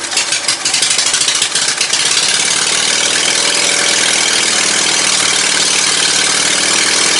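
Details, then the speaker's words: Ride-on mower "John Man" with newly swapped 22hp 670cc Briggs & Stratton V-twin (replacing a 12.5hp Kohler single), Yamaha V Star dual exhaust on custom headers: quick catch with a few uneven pulses, then steady even idle, no knocks or misses; healthy. "This thing just There's something about a V twin, buddy."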